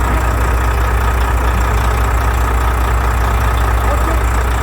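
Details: Volvo FH with 13-litre diesel, after repair of a knock and grinding from the valve cover, camshaft reseated: deep, even low-pitched idle with no knocking or grinding; settled idle.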